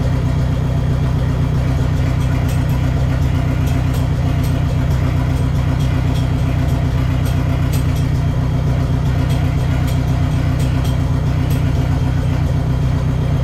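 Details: Neon SRT-4 first start after clutch master cylinder replacement and new plugs gapped at .032: deep, steady rumble at an even tickover, no misses or knocks; idling smoothly, clutch still needs more bleeding.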